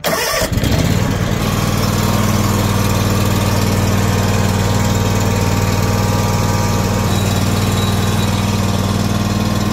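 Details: Lawn tractor after winter storage, wouldn't start until the battery was replaced; cranks briefly, catches at once and settles into a steady even single-cylinder chug, no misses or knocks, running healthy.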